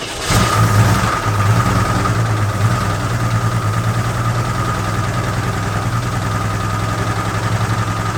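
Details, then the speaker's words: AMC Concord six-cylinder parked 26 years since 1997, after tightening the spark plugs: steady, even low idle with a firm unbroken beat and no misfire stumble, sounded better; carburetor mixture still needs adjusting. "Yeah, sounded better. Keep cranking it."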